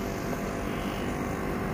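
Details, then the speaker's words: Split AC outdoor unit not cooling intermittently: only even fan whoosh, no compressor hum; both large and small pipes dry, compressor not running due to overload trip, cools again after a while. "tiba-tiba tidak dingin ya Oke jadi cara -cara mengetahui permasalahannya itu seperti ini ya teman-teman jadi di kedua pipanya ini Baik besar maupun kecil dia ini kondisinya kering ya tidak basah itu tandanya kompresor tidak hidup"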